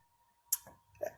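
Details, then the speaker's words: 2007 Jeep Liberty 3.7L with P0456 small EVAP leak code; EVAP purge solenoid still plugged in, commanded on by scan tool bi-directional control at 50% duty cycle during a smoke test. Sharp light clicks about twice a second, quiet bay. Solenoid working normally. "this purge solenoid is working it's turning on it's still plugged in so this is the bi-directional control"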